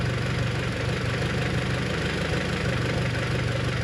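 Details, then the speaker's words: Honda H22 (G23BK), warm idle after about a 2-minute run following lost motion actuator replacement: the cold-start top-end ticking has gone, leaving an even, steady idle with a soft uniform hum. "look at that oh well that's only like a 2 minutes run so it looks like uh I did something here it took little time to uh get rid of that noise"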